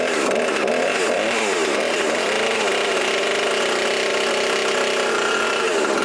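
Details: Husqvarna 350 18" chainsaw after rebuild with new cylinder, piston, ring and gaskets, muffler gasket left off (possible exhaust leak), compression about 75: high, steady two-stroke scream with small rev swings, no sputtering or bogging; normal running.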